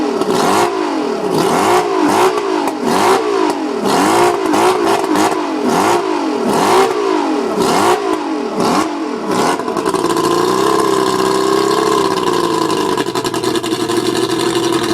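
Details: Mercury 135 outboard blipped repeatedly then held at higher revs, running rough and uneven with a misfire; owner suspects the spark plugs.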